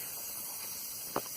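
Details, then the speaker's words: 1989 Toyota 3.0L V6 (3VZE) leakdown test at 100, engine cold: steady soft hiss of air escaping; rings leak on every cylinder, while number 5 leaks through a blown head gasket, bubbling into the coolant. "This one's leaking out of rings on every cylinder except for number 5, which has got a blown head, because of the blown head gasket. You can hear it."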